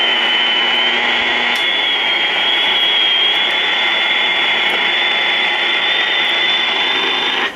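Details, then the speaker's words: 1952 Trav-ler 5171 AA5 tube AM radio after recap and tube replacement, daytime: a station about 45 miles away plays steadily with only light hiss, no crackle, dropouts or hum; receives cleanly. "well it's not doing too bad that station's about 45 miles [Applause] away"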